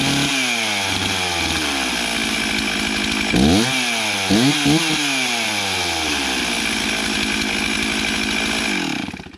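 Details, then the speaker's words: Stihl MS360 Pro chainsaw after a Chinese aftermarket carb swap, adjustment and new spark plug, started cold with choke. It fires cleanly, takes crisp throttle blips, settles to a steady even idle, then shuts off: normal running. "All right, well, it started a whole lot easier and it sounds like it's running as good as it ever has, so I'm pretty happy with that."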